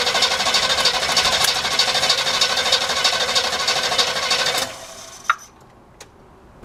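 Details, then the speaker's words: El Camino after long storage, side-post battery fitted, first cranking: steady even cranking about three beats a second for over four seconds that never catches; engine not seized; bad old gas smelled at the carburetor fuel filter; crank-no-start from stale fuel. "And I am smelling some really bad old gas, so let's put this side right here."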